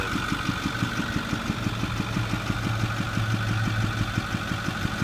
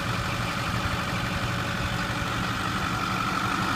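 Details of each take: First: 2008 Ford F250 6.4 Powerstroke diesel, about 81,000 miles, idling: sharp regular popping through the intake, loudest at the air filter box, one or two a second; premature rocker arm wear from fuel-contaminated oil after frequent regens and poor maintenance. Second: 2008 Ford F250 6.4 Powerstroke diesel, about 81,000 miles, after fitting new rocker arms worn by fuel-contaminated oil: steady, smooth low idle with no popping through the intake; engine running healthy after repair.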